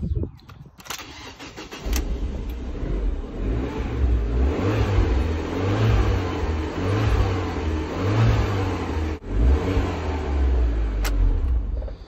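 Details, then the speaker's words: Fiat Abarth 500 after replacing auxiliary belt and tensioner: engine fires and settles into a smooth, quiet, even idle with no whine or chirp from the belt side, unlike the loud whining before. "now when I fire it up it's nice and quiet"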